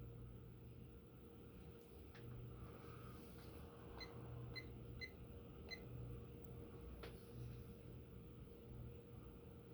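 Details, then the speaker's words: Antique Phil Frey ceiling fan with Hunter 6-blade adapter and 38-inch blades on a solid-state speed control: faint, steady low hum with no ticks, rattles or wobble; running normally and quietly. "it's not the prettiest idea I've ever had but it would work okay so it's pretty silent on the solid"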